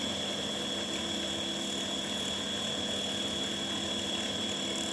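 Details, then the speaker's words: Seoul Master Gas 21 wall-hung gas boiler circulation pump: constant thin high whine over a low steady hum; the pump may bind internally and intermittently seize, which can cause heat-exchanger boiling and safety-thermostat error A4; pump replacement recommended. "А если наш насос заклинивает, то в теплообменнике происходит закипание и термостат, предохранительный термостат по температуре дает ошибку А4 на котле Сеул. Вот такой звук насоса."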